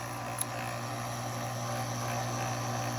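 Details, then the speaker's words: GE Opal 2.0 nugget ice maker running with top open after a stripped nylon gearbox gear was replaced: steady low motor hum, smooth drone, no clicks, grinding or clunks; normal auger motor. "You could just pop this top open, start running the ice machine, and just watch the auger."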